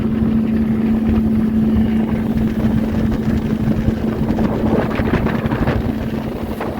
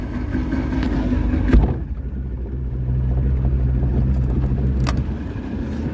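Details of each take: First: Boat outboard, first lake test after sitting about 3 years: steady, even motor drone holding its pitch under gusting wind, no misses or knocks; outboard running fine at this point. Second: Boat after rain: low, uneven idle rumble with a droning tone; it barely engages gear and won't speed up, though reverse works. Cause unclear.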